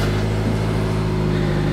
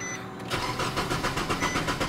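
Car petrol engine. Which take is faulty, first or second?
second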